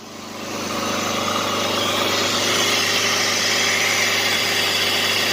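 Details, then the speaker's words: Jeep Liberty, 201,905 miles, engine same as 2005 Grand Cherokee: even steady idle with light hiss, no knocks, misses or stumbles; owner thinks it runs slightly smoother after changing some wiring; had earlier failed to start once. "But yeah, it's running pretty dang good, actually. Maybe running a little bit better after we changed that wiring in that one part. It sounds a little smoother to me."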